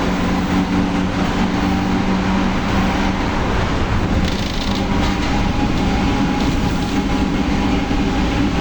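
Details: Torino S bus, Volkswagen 17-230 OD Euro V chassis, while driving: a steady droning whine in the low-mid range over heavy road rumble, from a rear differential that is howling loudly.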